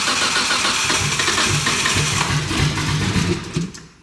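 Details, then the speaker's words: RB26-swapped Mustang on its first start, pressure 60 lb: the engine catches with an uneven, stumbling pulse about three per second, then fades. Misfiring on start; the same issue occurred the night before. "yeah yeah she's definitely miss firing there it was it just had to fart out the back"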